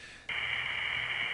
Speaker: I said that word sheesh spontaneously but that's actually a good impression of the noise on that line I assure you all calls to that area did not sound like that I just got a really bad trunk from London to Windsor